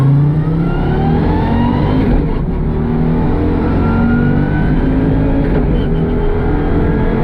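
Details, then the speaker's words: Audi Quattro Group B rally car at Grimsthorpe Castle 2024, revving hard with an uneven, stumbling edge under the roar; engine still misfiring, cause unknown. "Okay. Still got a misfire."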